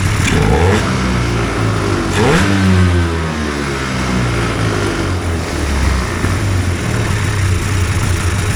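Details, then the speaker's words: Hovercraft engine warming up after a new coil and carb tuning, radiator still cold, water jacket about 44 degrees: quick blips rise and fall cleanly, settling to a steady run with no misfire, then it quit; normal revving. "Sounds like a Skidoo, doesn't it? Oh, it quit like a Skidoo too. That's all right. Anyhow, I'll leave it for a bit. That seems to run pretty good."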